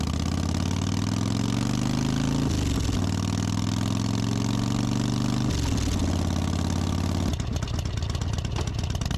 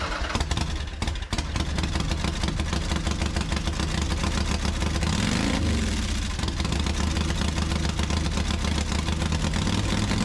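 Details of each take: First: Harley-Davidson Softail that had been missing or fuel-starving, after cleaning a dirty carburetor enrichener circuit and refitting the original intermediate jet. Steady, even V-twin idle with a smooth low rumble and a brief blip; normal idle, problem fixed. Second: Harley-Davidson Softail carbureted V-twin running loud, lumpy and uneven with one throttle blip; won't hold idle without throttle, near normal around 2500 rpm but poor above; carb cleaned before and fuel changed, owner unsure if misfire or fuel starvation.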